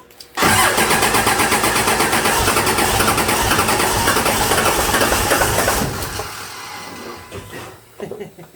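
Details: 2001 Dodge Ram Cummins turbo diesel swapped into a 1952 Dodge M37, first start attempt after wiring: starter churns steadily about five seconds, engine never fires, then stops; cranks but won't start.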